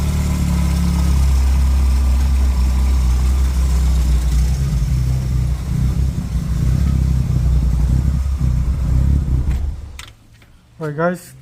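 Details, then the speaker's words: Two-door car with a no-start condition, running after a new part was fitted and plugged in. The engine revs up and settles back without hesitation or misses, pulling cleanly and sounding healthy. "all right let's try and start her up nice and smooth [Music]"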